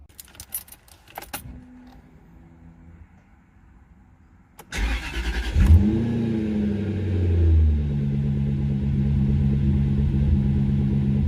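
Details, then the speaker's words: 2004 Jaguar XKR V8 started after sitting for months, codes cleared after battery recharge; flares then settles into a lumpy uneven idle, running on about 6 or 7 of 8 cylinders, an intake air leak suspected. "As you can probably hear, that doesn't sound very well."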